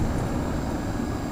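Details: 1987 Rheem Classic X 10 SEER central air conditioner outdoor unit, started quickly before cleaning out debris: steady low hum with even fan whoosh, no knocks, rattles or squeals; normal running.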